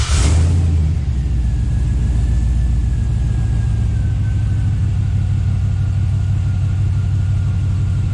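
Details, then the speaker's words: Scout 80 with a junkyard LQ4 6.0 V8 swap, first start after purging aerated fuel from the rail with a pressure gauge: deep, steady, even rumble with no stumble or skip; running on all eight cylinders. "like so yeah she's running good"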